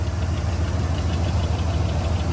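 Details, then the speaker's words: Engine idling with a steady, quick, low knocking over the rumble; possible piston slap from worn piston-to-bore clearance, suspected, not confirmed. "you can get a lot of different engine noises as you heard there you can get sometimes things called piston slaps"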